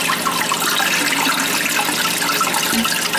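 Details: Old toilet that kept running (high water bill), after tightening loose tank bolts with wing nuts: steady hiss and gurgle of water refilling the tank, no surging or hammering; flush and refill sound normal, meter spinner no longer turning.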